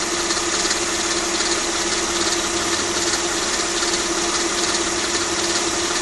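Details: Mercedes E320 W210 with the M112 V6 at 165k miles, otherwise running near perfect: a steady idle with a fast, dry metallic rattle about three times a second, confirmed as timing chain, tensioner and chain guard noise.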